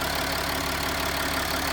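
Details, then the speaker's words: Land Rover Discovery 4 diesel idling with a smooth, even light clatter, no knocks, misses or surges, and no leaks; the engine is ticking over normally. "Right, so that's the engine ticking over. No dramas at all."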